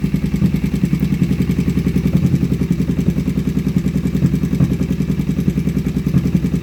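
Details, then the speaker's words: Kawasaki Vulcan 500 on day two of revival, first start after a carburetor kit; fast even idle with a sharp puffing tick on each firing pulse from a loose spark plug, then tightened finger tight. "well it runs that plug looks like it's a little loose so i'm going to tighten that up real quick"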